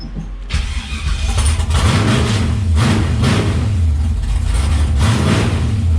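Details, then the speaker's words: 6.0 naturally aspirated V8 drag-week build, after new relay wiring and throttle cable fix: cranks, catches at once, crisp throttle blips with a smooth lumpy idle between. Throttle cable now working correctly; normal start and revving. "and key off power is everything should so that's working great and you can hear that the throttle cable is now working correctly"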